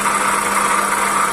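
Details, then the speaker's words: Toyota Calya at idle, loud rough noise in the engine bay: constant rough whirring hiss that doesn't pulse with firing, loud near the alternator; water pump bearing suspected, alternator also being checked. "jadi buli-buli Tri water pump series biar nanti kita akan seks semuanya bunyinya nyaring sekali ya kayak suara di dalam mesin"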